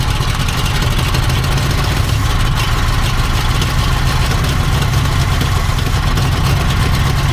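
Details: 1970 Ford Mustang Fastback, V8 (302 or 351) sat 20 years, first start; uneven stumbling idle missing like firing on half cylinders, rough-running misfire; owner thinks it is flooding itself.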